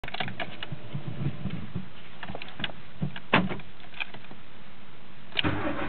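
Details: Mk2 16V engine; scattered cranking bursts and clicks that never settle into a steady idle. The engine is struggling to fire and is hard to start.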